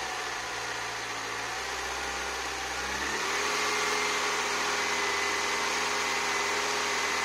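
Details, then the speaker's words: 1984 Citroën BX after replacing the original seized thermostat that caused overheating and coolant spraying: steady, even warm idle with no misses, radiator fan whoosh kicks in about three seconds in; no coolant leak, healthy. "and as you can hear the fans just kicked in and we don't see a pool of coolant which is good news"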